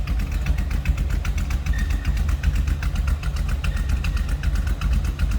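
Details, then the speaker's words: 1952 Pontiac Chieftain street rod after a cold start, heard from the rear: deep, slightly uneven idle rumble with a mild cam lope, nothing too crazy, otherwise running steady and healthy. "sounds like a little bit of a cam in there a little bit of a rumble nothing too crazy"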